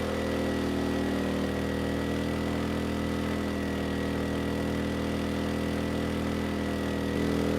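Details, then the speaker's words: Erayak 4500PD dual-fuel inverter generator running on propane with a 3,000 W load: a steady, even drone with a firm low hum, no hunting, misses or knocks; the engine sounds good and carries the heavy load cleanly. "The engine sounds good, so no issues pulling a 3,000 watt load on propane."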